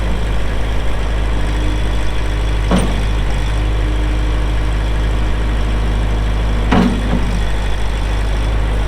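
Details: 2004 Kubota M6800 4WD pre-emissions diesel tractor, 1,181 hours: steady, even low diesel rumble at idle with no knocks or misses, a couple of brief background clanks; healthy engine.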